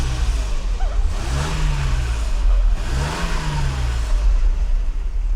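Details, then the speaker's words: Mercedes W126 300SEL M103 petrol engine, tested after fuel distributor repair, blipped twice from idle revving smoothly with clean even exhaust note; engine healthy, exhaust pipe intact. "So this M103 engine has no issues. Running 500,000 kilometers is not a problem."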